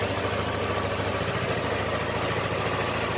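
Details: Yamaha R25/MT25 at idle after a no-start where the starter only clicked under the rear seat; the cause was the battery, and a loose stator-to-rectifier socket is suspected of draining it. Steady, even idle with a smooth low drone, no misses, knocks or surging.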